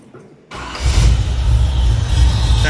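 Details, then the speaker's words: 1981 El Camino with LT1 V8 and T56 swap, serpentine belt off: after replacing non-firing, possibly cracked or fouled number five spark plug, engine settles into a deep, even rumble with no misses. "all right i finally found the problem this spark plug wasn't firing it's either fouled out or i uh cracked it when i was putting it in"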